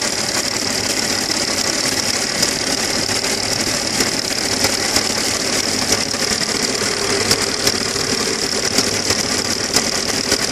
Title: AKG стучит шатун